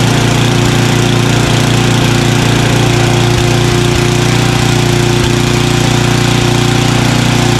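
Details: Craftsman 29" snowblower, 9HP Tecumseh single-cylinder, after carburetor cleaning with a blocked pilot jet cleared: even, low chugging idle at about 220 beats a minute, holding steady without hunting.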